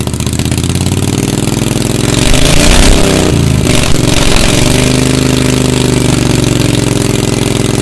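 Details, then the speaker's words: 1992 Club Car golf cart with a V-twin Briggs swap, started after sitting about 6 months and a secondary clutch replacement. Cranks and stumbles, firing unevenly, then settles into a rough, uneven run: hard starting after storage. "it ain't pretty but we see if we can fire it up been sitting for a while"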